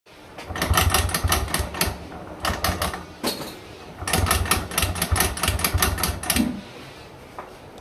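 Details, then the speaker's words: TVS Rider motorcycle, engine blipped before being opened up: bursts of fast, dry ticking rattle swell with each throttle blip; the timing chain was found badly worn. "বাইকের আওয়াজটা শুনলেন তো খুলতেছি timing চেইনের অবস্থা খুবই খারাপ"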